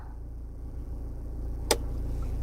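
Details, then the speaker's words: 2020 Toyota Hilux Conquest automatic, idling in neutral with brake on, switched to H4: low steady idle then one sharp clunk; light blinks until driven a bit; normal 4WD engagement. "so we're now h4 i hear a clunk sound and you notice it's blinking if it's blinking that means it's not engaged"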